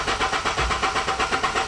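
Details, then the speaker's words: Honda with a new Hondata and new tune, after suspension work and battery relocated to the trunk: quick, even cranking with no catch or firing; engine cranks but won't start, later starts with a little gas. "Keep it going. Hey, it won't start."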